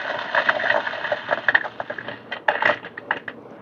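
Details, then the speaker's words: DF64V coffee grinder at 700 RPM, grind size 20, about 14 g dose: irregular crackling bursts of beans breaking over a barely audible small-motor hum (it sometimes stalls at start). Grinding is normal. "So okay, let's grind some coffee. Right now my RPM is actually 700."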